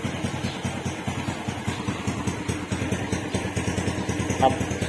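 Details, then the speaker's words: Raider J115 Fi motorcycle after fixing a faulty stator that left charging too low: a small single idles evenly, and the fuel pump whine it had, likely from insufficient power, is gone, so the pump is not faulty. "saka yung ingay ng pump nawala. Yung ingay ng pump. Butlig tail. Yung ingay ng pump mga nawala. Wala, nawala yung ingay ng pump."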